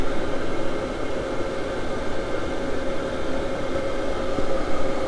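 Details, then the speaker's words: Cheap Chinese diesel air heater for a Unimog camper box, normal operation: steady even roar with a constant mid tone and soft rumble, no pulsing or rattles, blowing hot air, turned up toward its highest heat level. "But I think I got it to turn on. It's going right now. It's blowing hot air."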